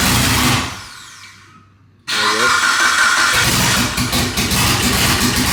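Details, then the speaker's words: Mitsubishi Evo 9 with built motor and new turbo setup, first start with no downpipe, vacuum lines temporarily capped: cranks, loud raspy bark, then uneven ragged idle; rough idle, cause not confirmed. "it's going to sound like [ __ ] we have no downpipe or anything"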